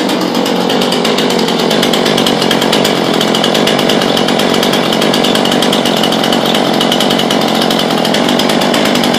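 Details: New Husqvarna two-stroke chainsaw just after its first start, choke and primer bulb used, chain brake off: steady, fast buzz that holds even with no stumbling, surging or dying out; normal idle.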